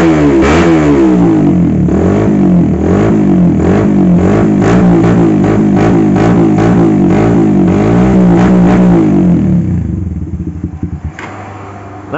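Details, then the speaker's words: Carburetor motorcycle with a vacuum fuel tap, after fixing the fuel vacuum problem with no carb or plug changes: engine revs and settles with an even steady beat and no stumbling at low or mid revs, and now idles normally. Music overlaid. "teman-teman bisa kita dengar sendiri untuk suaranya tidak brebet lagi ya seperti tadi sekarang di bagian gasnya pun normal"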